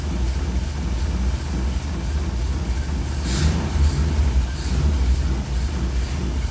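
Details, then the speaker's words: 1966 Cadillac V8 with a Holley Sniper throttle body: plugging the IAC back in makes the ECU jolt it to 90–100% with TPS at zero and no accessories on. The idle swells briefly in speed and loudness, then settles. "let's plug this bad boy in immediately terrible there we go that's about the hundred-percent 90% jolt I'm talking about"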